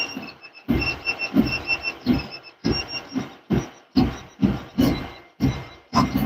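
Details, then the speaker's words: Ender 3 V3 Plus 3D printer, new out of box, printing: sharp squeak with each print head move over short mechanical thumps, much louder than the standard V3; microphone beside printer; squeak, cause unconfirmed. "it's squeaky it's just like the V3 the standard one we have but it's just a lot more squeaky and a lot louder"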